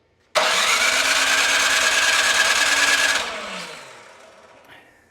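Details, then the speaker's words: Craftsman 26-inch snow thrower with a 270-QU engine that had sat for years, on choke after extra priming, with good spark: quick even cranking for about three seconds without a single firing stroke, before the carburetor bowl was drained. "we have very good spark but it is not starting and it is on choke that means our throttle is set good"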